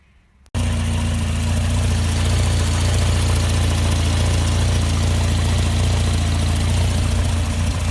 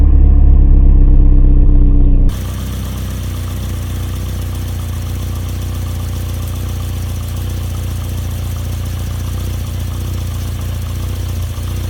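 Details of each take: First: Barn-find Volvo 480ES running on a replacement ECU, no engine warning lights: steady low idle with a slightly uneven, wavering pulse; not running as smooth as it can, rough idle, cause not yet known. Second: Barn-find Volvo 480ES on a replacement ECU, fuel pump primed: catches quickly, almost at the first turn of the key, then settles into a steady, even low idle with no misses; normal start and idle.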